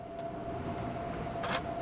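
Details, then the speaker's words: 2018-2019 Mustang GT (Bullitt) Coyote V8 with a tick between 1k and 3k rpm in lower gears, first start after adding Ceratec: quiet even idle, faint steady hum, no ticking or tapping; sounds healthy, possibly quieter than before. "Here the car is idling very, very well actually. I almost want to say it's quieter than when I had it previously."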